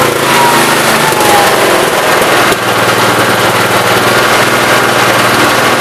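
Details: 1969 Gravely 432 after the carb main jet, out too far, was leaned and the carb cleaned. Engine revs up and holds a steady, even note with no popping or backfiring under throttle, running well.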